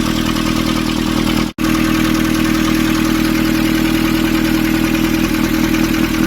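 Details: Nissan Urvan ZD30 diesel, after a no-start repair in which a soot-clogged part was cleaned and refitted: steady, even idle clatter with a constant low hum, no misses or knocks; settled and running smoothly.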